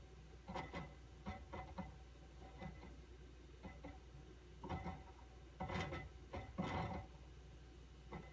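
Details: QNAP TS-419P II NAS with 8 TB HDDs, only under load, silent at idle: irregular soft ticks in clusters over steady hum, likely drive head seeking, unconfirmed.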